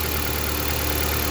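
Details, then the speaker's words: 2013 Jeep Compass that would not start because a short at a capacitor blew fuse 23 (coil feed), after unplugging it: steady, even idle with a smooth low hum, no misses; ignition firing cleanly, normal idle. "Ahí lo desconectamos, ya encendió en el carro."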